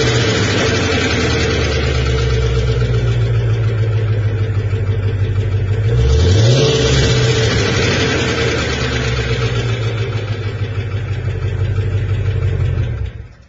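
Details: 2020 Shelby GT350 V8: steady ticking over a deep idle, about three per second, still present through a quick rev. Owner questions piston slap; unconfirmed.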